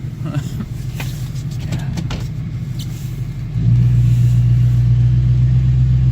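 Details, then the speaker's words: LBZ Duramax diesel, 343k miles, cold morning (about 34°), sticky turbo vanes recently cleared: a deep steady rumble that steps up to an even high idle of about 1,000–1,100 rpm. Normal high idle with no knock. "all right kick up the high idle here you can hear there's that with drive a thousand eleven hundred like that"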